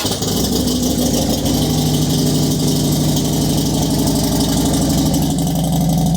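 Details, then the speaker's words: Motorcycle just refitted with gas tank, in neutral, after base plate fix: steady even idle with no ticks, knocks or rattles; fuel pump primer audible; engine sounds healthy. "That's the sound I love. When your motor ain't making no extra noises."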